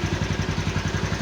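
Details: Motorcycle that would not start, running after a clogged carburetor and worn spark plug were found: even single-cylinder thumping at about eleven beats a second, no stumbles or misses, a steady healthy idle.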